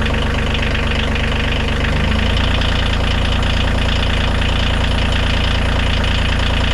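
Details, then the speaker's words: Bobcat CT2025 compact tractor diesel, first cold start after six months of freezing, snowy outdoor storage under tarp with anti-gel and battery tender: steady, fast, even clatter, no misses or knocks; healthy idle. "not bad we heard it six months or certainly freezing weather snowed on it a few times started right up no issues at all"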